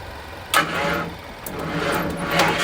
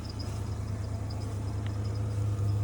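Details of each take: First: 1994 Ford F-150 that catches after a few cranks, then idles with an uneven knock about three per second. Owner doubts it is engine knock and suspects a failed harmonic balancer; unconfirmed. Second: 1994 Ford F-150 with a 302 V8, sat over a month, just driven home, hard to get into gear: deep, smooth, even V8 idle with steady rumble, no knock, faint light chirp (drive belt seems to move around); healthy normal idle.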